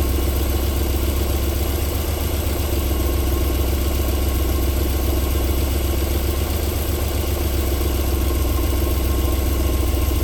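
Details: 1994 Alfa Romeo 3.0 24v QV engine, cold start-up idling silky smooth with a deep steady hum and no ticking or knocking; a normal idle, though knocking returns after about 4 minutes.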